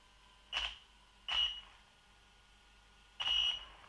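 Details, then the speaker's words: Low-throttle test of a sensorless brushless system in a Bullline Pro MT: three short, irregular high-pitched chirps as the motor hesitates and stutters (cogging) instead of pulling away smoothly, unlike a brushed or sensored motor. "hear that hesitation? It's called cogging. See the cogging? So, it is that cogging, that hesitation, that you're trying"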